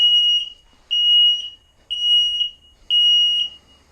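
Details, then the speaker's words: Carbon monoxide/propane detector at the front of a 2020 Starcraft Autumn Ridge 20MB travel trailer, test button pressed: loud high-pitched beeps about once per second with even gaps, normal test alarm showing the unit works. "Pressing that button every once in a while is a good idea, just to test to make sure the unit is still functional. As you can hear, it's very loud."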